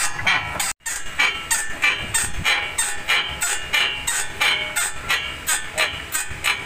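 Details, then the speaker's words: Toyota Fortuner, parked and rocked up and down: rhythmic high-pitched creaks, about 1.5 per second, from a rusty, worn ball joint; shock also damaged. "pero ang pinaka lumalangitngit talaga o ito yan tingnan yung kalawang o sobra pag inaalog mo yung kwan"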